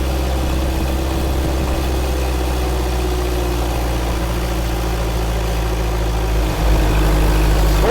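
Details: Freshly rebuilt 1931 Ford Model A four-cylinder on dyno, stock point distributor, Model A carb and manifold; slow deep even idle with steady pulses, no knocks or ticks; normal idle.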